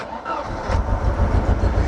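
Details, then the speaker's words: Mercedes 190E, 2.0 M102 engine that sat over three years: catches after half a second and settles into a low, uneven, lumpy idle, engine rocking a lot; cause unclear. "you wanna start the engine now you're going to hear how it's running a bit lumpy"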